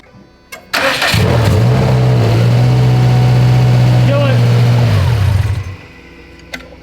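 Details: Subaru STI engine after a timing belt replacement: brief crank, then it catches and settles into a steady, even idle with no misses or ticks; it sounds healthy.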